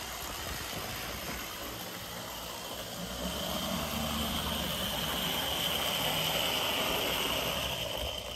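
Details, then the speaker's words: Older Bachmann GP40 model locomotive, shell removed to reduce noise amplified through the shell: quiet steady high-pitched whir with soft even buzz, no stumbles or grinding; motor running smoothly. "which is a shame cuz it's it's running really nice not as nice as like a an A but not bad not bad"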